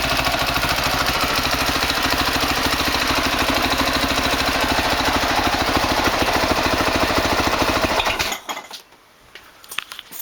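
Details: 2003 Honda CRF450 four-stroke, first start after engine rebuild for seized connecting rod and blown rod bearing: crisp, even single-cylinder beat holds steady at idle without choke, no knock or tick before shutoff; normal idle.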